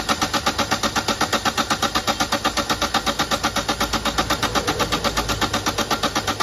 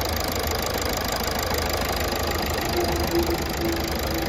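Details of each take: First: Toyota Etios diesel that was misfuelled with petrol, fuel drained and diesel filter assembly replaced: starter cranks steadily, about four even pulses a second, for over six seconds without firing; long crank from injector back leakage at return lines. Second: Toyota Etios diesel, previously misfuelled with petrol, after all four injectors repaired and back leakage fixed: steady even diesel clatter at idle, no misses or hunting; no more long cranking, runs perfectly.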